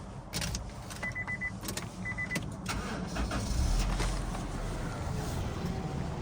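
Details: 1997 Honda CR-V, about 33,000 original miles (52,510 km), freshly serviced with timing belt, water pump, pads, rotors, belts and fluids: chime and door noises, short crank, engine catches cleanly and settles to a smooth even idle. Normal engine start.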